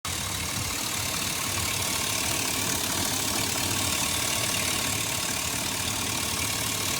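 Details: 2004 Chevy Silverado with the check engine light on and a fuel cap message that persists after a new gas cap. Steady idle under a loud, constant airy hiss. Suspected vacuum leak.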